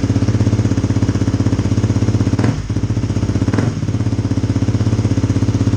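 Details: 2018 Kawasaki KLX250 single with new FMF Q4 slip-on exhaust, silencer insert fitted, mid-pipe joint resealed after it made a racket; steady idle thump about four beats a second, loud but even, no raps or puffs from the joint; sealed and healthy.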